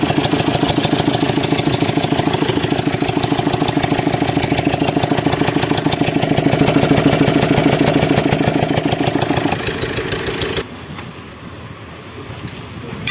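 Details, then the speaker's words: Suzuki Swift Dzire DDiS diesel, about 21,271 km, fast even metallic "tapa tapa" clatter at idle about three per second, stops at shutdown; mechanic suspects stretched timing chain and possibly rocker problem; timing chain rattle. "और गाड़ी में टपा टपा टपा टपा ऐसा sound आ रहा है। टाइमिंग चैन भी बड़ा शायद हो गया है।"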